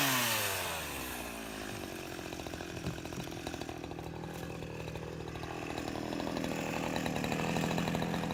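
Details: Husqvarna 353 two-stroke chainsaw, restored from a basket case with gas line and chain drive work, carburetor just adjusted, cutting wood: holds steady revs, slight bog then smooth recovery; runs healthy, though chain is grabby and needs readjusting or sharpening.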